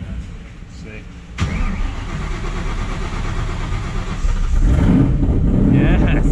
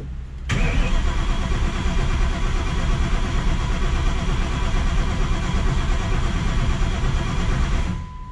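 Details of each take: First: Crown Victoria Police Interceptor with a new 1200+ hp V8 on ethanol, restarted after a blow-up, too much cranking fuel suspected: brief cranking, then it catches with a sharp bang and settles into a steady, lumpy idle with 80 psi oil pressure. Healthy start. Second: 1200+ horsepower engine, first start after fuel system primed: steady starter cranking for about seven seconds, never catching, no crank signal seen; ignition timing found incorrect, to be verified with timing light.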